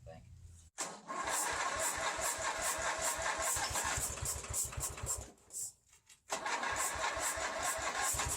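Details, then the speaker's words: 1985 Ford YT 16 tractor with the carburettor cleaned and the fuel pump not yet fixed, no gas supply: starter grinds, the twin catches with fast uneven pops for about two seconds, sags, then dies starved of fuel. "it's a little bit tricky when you don't have any gas but it can't run for two seconds but it does move"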